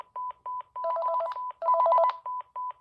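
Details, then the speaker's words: Panasonic KX-TG5438F 5.8 GHz rugged cordless phone, thrift-store find in good condition, initial checkout: loud clean repeating high beeps broken by two quick warbling bursts, likely volume all the way up; intercom page ring works normally. "So let's do the intercom. It's pretty loud."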